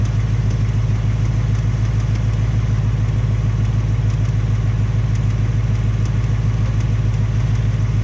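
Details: 2018 Mustang GT on its second Ford engine, at only 1200 miles, idling. A smooth V8 rumble with light, regular tapping/knocking on top: an engine tick of unconfirmed cause; Ford is fitting a third short block.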